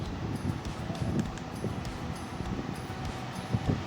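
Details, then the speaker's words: Atomberg remote-control pedestal fan, new, on its top boost mode: steady low rushing whoosh, fairly loud, no knocks or rubbing; normal high-speed airflow. "जैसे कि आप सुन सकते हैं यह काफी आवाज कर रहा है बुश मोड पे।"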